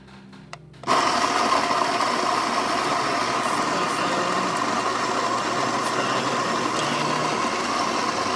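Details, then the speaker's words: Baratza Vario grinder after recalibration (was only grinding fine): motor whirs up to an even buzz, then settles to a slightly lower, laboring pitch as it grinds at the espresso (fine) setting; normal motor slowing under load. "hear the motor slowing down. Alright, we'll stop again."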